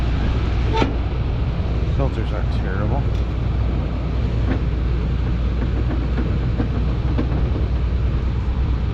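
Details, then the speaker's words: Rooftop HVAC unit, probably Carrier, noise louder downstairs and worsening as it runs; steady low droning hum with buzzy vibration and handling clatter; motor found vibrating, inducer motor vibration. "this is our culprit oh let's see [Music] it's a lot more noisier downstairs"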